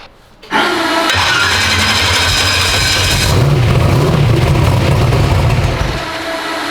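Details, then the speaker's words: 372 SBC V8 in an S10, first start: fires right up and settles into deep even idle, not loading up or stumbling; sounds healthy. "do you want to hear it from the outside that sounds really good"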